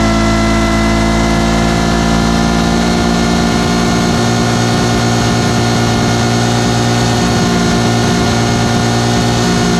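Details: 2-stroke V8 Detroit Diesel 8V71 from an old tour bus running away at high RPM with a water hose feeding the blower; constant high-revving roar, water slowing it slightly without stopping it.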